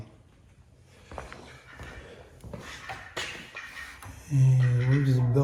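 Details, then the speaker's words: 2005 Lexus ES330, engine running, leaking coolant, water pump replaced once before, idler pulley hot: a loud, honking squawk breaks in and holds; owner suspects the water pump, timing belt and idler pulley. "rubbing or hitting son of a maybe that spinning h this definitely something under the best part of the timing set whether it be the water pump that idler pulley right there"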